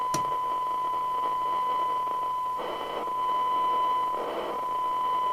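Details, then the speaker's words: 1981 DNT M40 UK FM CB radio (27/81) receiving a 1 kHz test signal at 3 microvolts: thin, hissy, crummy audio because the radio is internally off frequency, before VCO and 10.24 MHz master oscillator adjustment; receiver off frequency. "never on frequency the actual radio is internally off frequency which it can easily be so that's three micro volts and it sounds crummy"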